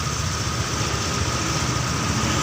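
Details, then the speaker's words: Honda Vario 125 CBS fuel-injected scooter after its battery problem was fixed, warming up with idle at 1500 rpm toward 80°C: fast, steady putter with no misses or knocks; normal warm-up idle. "ini langsanya sudah di 1500 nanti kita tunggu suhu sampai 80 derajat Celcius baru bisa dicek kondisi motor"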